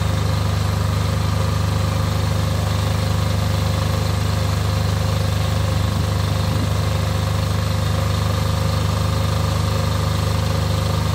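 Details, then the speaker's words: Off-grid diesel generator after a service for fuel problems that made it cut out, final checks before load testing: steady, even low drone at constant speed, no hunting or stumbling; normal idle. "sounding good to be honest it seems to have caught the lumpiness through doesn't seem to be too lumpy"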